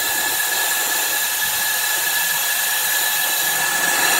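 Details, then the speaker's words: Toyota RAV4 2.0 AZ-FE engine, overheated from coolant loss with warped cylinder head and blown head gasket; cylinder head off, compressed air escapes past a closed valve in steady loud hiss; leaking valve not sealing, needs valve job. "now these valves are closed right now they're being held into the cylinder head with a spring so we should not see this and on a really good tight valve that won't be the case"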